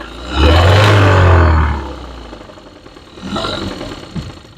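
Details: Engine slightly revved in an automotive class rod-knock diagnosis before teardown: hard metallic clatter rides the roar as revs rise and fall; worn rod bearing knock.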